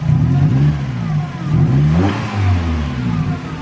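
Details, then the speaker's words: Mazda Miata NB, first start after over a year of sitting: deep, booming rasp swelling and dropping with each throttle blip; exhaust too loud, owner plans to replace it. "That exhaust gotta go. Too loud."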